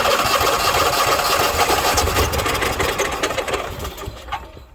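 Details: Onan 5500 motorhome generator at 4,700 ft, after new carburetor, plugs, fuel filter, fuel lines and fresh oil: cranks and fires briefly with rough, uneven beats, running half a second to a second before dying; cause unknown.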